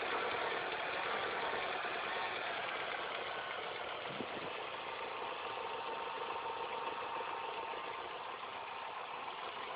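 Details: Engine at idle after replacing all belts, timing chain and tensioner: steady fast ticking rattle about three to four per second; source unconfirmed.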